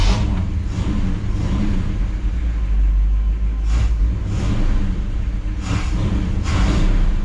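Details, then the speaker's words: 1959 Chevy Bel Air 348 V8, Rochester 4-Jet, with the reassembled old accelerator pump squirting weakly, possibly a little flooded. Deep rumble with throttle blips that swell sluggishly and stumble on tip-in: throttle hesitation from a weak accelerator pump, which needs replacing. "it's squirting but it's just not like it should so it definitely needs an accelerator pump but it uh definitely runs better"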